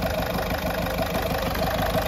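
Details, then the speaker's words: Ford Fiesta 1.4 TDCi diesel, 2006/2007, after engine rebuild for oil burning and smoke; settled, even diesel idle clatter with no misses, knocks or hunting; no problems left, and light steam from the exhaust is normal. "1.4 T c i sesi bu şekilde olması gerekiyor artık herhangi bir izlemede kalmadı bir sıkıntı da kalmadı"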